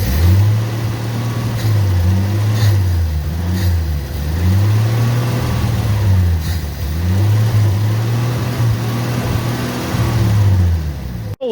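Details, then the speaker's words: 1965 Ford F100, off the road since the early 90s, after new coil, points, condenser and fuel pump: deep engine note rising and falling smoothly with clean revs, no misfire or knock; runs great, normal running. "bit of progress we've got the fuel pump on and guess what it runs great i even got to start with the key"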